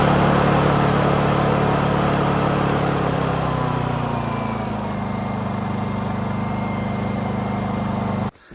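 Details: Honda EU2000i generator right after cleaning a badly fouled carburetor: loud steady hum easing to a smooth, even lower speed before shutoff, no hunting or surging; runs better than before, owner credits two idle-jet O-rings. Normal running.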